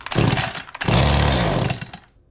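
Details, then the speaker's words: Echo CS-271T top-handle two-stroke chainsaw with the idle mixture backed out: it fires in short uneven bursts, surges once, then fades and dies, running really lean. The owner suspects a seal leak. "So that's what it's doing. It's acting really lean and then dying."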